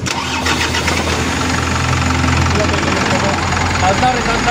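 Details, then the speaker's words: Isuzu Elf 4M50 diesel with a hard-start complaint and scanner codes incl. engine revolution count sensor; after the sensor was replaced it starts with one crank despite a weak battery and settles into a steady even idle, no stumble or misfire; normal start. "One Click na mga Bossing goods na goods na yan mga Bossing medyo Mahina lang yung battery kanina"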